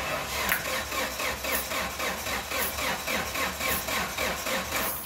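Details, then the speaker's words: Engine cranking with in-cylinder pressure transducer in cylinder four, peak about 120 psi: starter turns at about four even compression pulses per second, sluggish and labouring; slow cranking from a weakening battery. "that should be enough battery's getting a bit weak"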